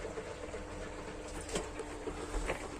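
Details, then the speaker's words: Washing machine running from a 500 W converter, in -2 °C night: steady pump drone with faint water rush, drawing water properly after shortening the inlet hose; normal fill. "Elle charge bien l'eau. Voilà. Donc elle est alimentée par le convertisseur, ok. Donc tu vois, on entend la pompe qui remplit la machine à laver."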